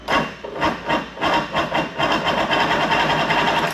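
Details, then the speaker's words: Mercury Force 120 outboard, dead 12 years, compression test on cylinder one: even rhythmic cranking chuffs, no misses or scraping; reading about 121; normal compression-test cranking. "All right, my compression tester's hooked up. We're in cylinder one, going from the top, 1, 2, 3,"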